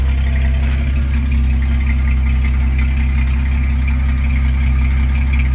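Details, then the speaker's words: 1983 Dodge D150 V8 after fixing a no-start possibly caused by the rotor jamming into the distributor cap, muffler removed because of mouse nests: deep, steady, even idle through loud open exhaust, no miss or knock. Normal idle; a separate exhaust-leak tick was noted. "Damn, she's running good."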